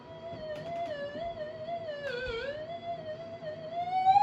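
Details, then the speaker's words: Minelab SD2000 metal detector being repaired and modified: a steady, wavering whistle that drifts in pitch with no target, as the detector picks up electromagnetic interference from the nearby camera and probably the fan. "Whoa, don't want to get that close. But yeah, it's probably picking up the fan and so forth."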